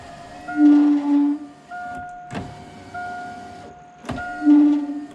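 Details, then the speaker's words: 1987 Saleen Foxbody power window after replacing bushings, regulator shaft cleaned but not yet greased: motor hums as the glass travels with a high, thin squeak over it from the dry shaft; fix is to grease it. "noise is because I haven't greased it yet, so I'm going to grease the shaft and we should be good to go."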